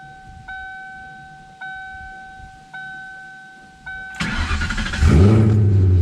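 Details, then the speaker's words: Coyote-swapped Fox body Mustang with Aeromotive 340 pump, after a new fuel hose is installed: chime, then the engine cranks, catches straight away and revs cleanly; fuel pressure confirmed at 60 psi, fixed. "Aha! Sounds like she's supposed to."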